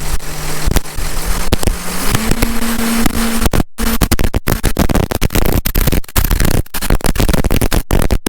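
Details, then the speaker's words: John Deere 6170M tractor diesel, just started cold after an engine rebuild and not yet warmed up: steady low idle drone lifting slightly in pitch, even and unbroken, with hardly any blow-by; normal idle. "Probably gonna have a little bit of blow by. They usually do right after you get done. I haven't even had a chance to warm the engine up yet."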